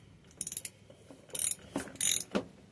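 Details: Mid-1980s Yamaha YFM200 Moto-4 quad, first start attempt with a rusty plug and scaly piston: short clicks and clunks without cranking rhythm, acting seized and hitting something before breaking loose; weak spark, seemingly no fuel, possibly low compression.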